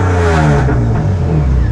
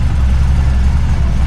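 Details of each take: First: Widebody right-hand-drive BMW E36 on individual throttle bodies, no MAF, alpha-N re-tune, after tightening: sharp throttle blip with revs climbing quickly and dropping back cleanly, no stumble or misfire; normal revving. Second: Widebody BMW E36 on individual throttle bodies with an alpha-N tune and no MAF, idling deep and lumpy with uneven pulses. It is running rich and smoky because the throttle bodies are out of balance and need adjusting.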